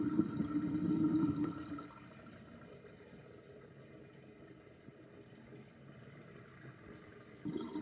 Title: Interesting sinkdrain with sinkplug 38.5 mm with chain and loud gurgling sound